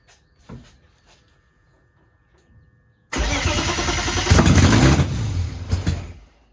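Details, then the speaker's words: BMW E30 with open exhaust after starting: short crank, then loud catch that surges and sags, won't hold a steady idle; cause unconfirmed. "C'est impossible de la garder au ralenti en fait, parce que en échappement libre là c'est beaucoup trop bruyant"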